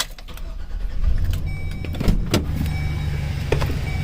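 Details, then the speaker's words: 2007 Chevrolet Express 3500 6.0L after replacing flexplate, spacer, torque converter and missing dowel pin, reversing, heard from underneath: low even rumble; previous knock gone, running normally. "we go no more knocking hope you guys like it"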